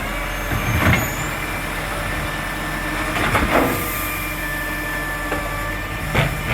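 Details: Marion garbage truck SL01300 diesel after exhaust leak fixed: steady diesel rumble with air-brake hisses and revving surges under load, no ticking or puffing; normal running.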